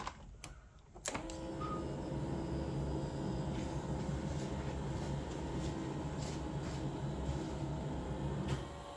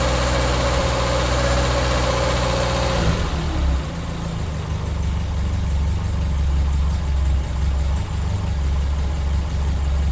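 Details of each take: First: Toyota Tercel wagon 3A engine after head gasket replacement, throttle not hooked up, choke set: steady starter churning about four turns a second that never catches; no start because the distributor was left unplugged. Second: 1983 Toyota Tercel wagon (3A engine) after head gasket replacement and adding a missing exhaust gasket: steady, even low idle with no misses, knocks or hunting; running smoothly.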